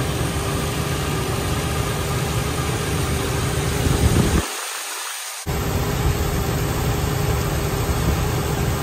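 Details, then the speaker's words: 2002 Ford Ranger 4.0 after new idler pulley and drive belt: steady even idle with smooth hum, belt riding in the ribs, no squeal or chirp; normal idle after repair. "ribs so as you saw everything is riding in the ribs that's what we want and I don't hear any more noise"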